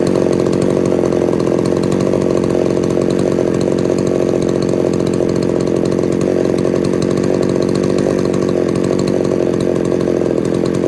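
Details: Poulan 3800 chainsaw with a loose carburetor and air leak being fixed, some spit back through the carb on acceleration: continuous buzzing two-stroke idle, blubbery and uneven, loading up while idling; possible remaining air leak.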